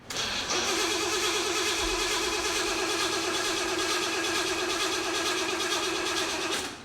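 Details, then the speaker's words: Supercharged Jeep BJ-5 with mechanical fuel pump, hot-wired after sitting over a year: starter spins engine steadily, about three compression pulses a second, six seconds, never fires; owners suspect no gas, evaporated, not confirmed. "I bet you there's no gas in it it's been cooking for like a year yeah actually longer than that there's nothing coming out"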